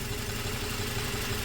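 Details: 2004 Toyota Tacoma 4-cylinder, 141,000 miles, idle after the injector swap: uneven low thump that keeps breaking rhythm. The miss followed the injector, confirming it quits when heat-soaked.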